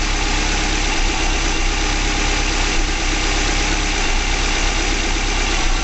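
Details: 2005 Subaru Legacy GT engine at its first start after a DIY rebuild, fuel nearly empty, no leaks seen, with some exhaust smoke expected from debris burning off. Smooth, steady low idle with an even beat and no knocks, ticks or misses: normal idle.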